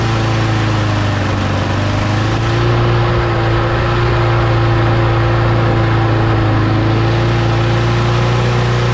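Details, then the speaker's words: Mower engine after parts were blown out with compressed air and refitted, primed three times: steady even drone with a constant low note, no misses or surging; runs smoothly, though the primer still isn't priming. "all right okay so it works just not getting any primer yeah so it's just not getting any primer"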